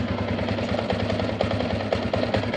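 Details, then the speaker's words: Yamaha Sniper 150 V1 idling: loose metallic rattle over the beat, louder with the clutch lever released and quiet when it is pulled; worn clutch damper, to be replaced. "Mas maingay siya. Pero pag hawakan ko ulit yung clutch, bibigay ko yung clutch, ayun, tahimik na, no? Ngayon, ang problema niyan, nandito sa clutch damper, no?"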